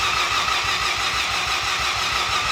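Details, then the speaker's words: Custom widebody Mazda FD RX7 with Haltech IC7 dash, in for wiring faults: the two fuel pumps were not getting power, and no neutral safety switch was fitted. It cranks quickly and evenly with bubbly sputters but never catches, a crank no-start. "Sounds like my boat trying to start in the water. Very bubbly going on."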